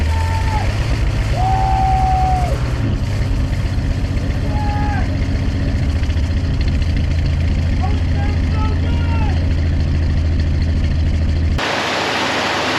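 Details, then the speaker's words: 1972 Ford F-100 240 inline-six, barn-stored since 1995, first run after Lucas raised low compression: deep even idle, steady low beat, no stumbles or ticking, smooth until shut off; normal idle, electric oil pressure gauge dead. "it's going to idle dude that is why of the happiest sound in Old inline SES I've ever heard it is idling so smooth"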